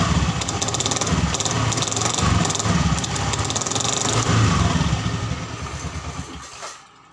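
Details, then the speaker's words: Honda Scoopy FI scooter revving: a coarse, rattly roar from inside the CVT that fades as it slows. The noise is suspected to come from the rear CVT components, not yet confirmed before opening the cover. Rough CVT noise. "Kondisinya yaitu terdapat bunyi kasar pada bagian dalam CVT-nya seperti itu ya teman-teman. Bunyinya bisa dikatakan terlalu kasar itu teman-teman ya."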